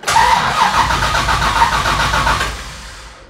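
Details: Carbureted engine converted to FiTech fuel injection, after splicing in the white rpm-signal wire to fix hard starting: short crank, catches at once and runs strong; starts promptly.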